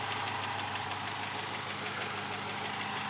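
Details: Rover V8 in a Willys Jeep with homemade two-inch stainless headers, fuel pump moved back by the tank: even, burbling idle with a steady beat and no knock, tick or misfire. The owner notes occasional warm-restart spluttering, but the idle sounds healthy here.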